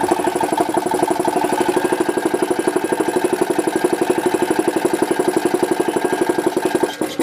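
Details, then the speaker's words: Goodyear 20-gallon oilless air compressor on an old motor: fast, even chatter of about four beats a second that drags and nearly stalls when a screwdriver is put on; runs a bit faster after a rest; owner believes the old motor is no good. "I put the screwdriver on and it goes it's almost stops so needs a little work I believe the this old motor is not any good"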